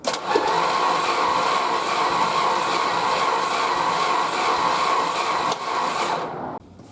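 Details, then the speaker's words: 1969 Chrysler Newport with suspected blown head gasket and no power on test drive, compression test: starter spins fast and even with no compression beat; cylinder didn't even build 30 psi, very low compression. "Okay, so wow, this thing didn't even build up 30 psi."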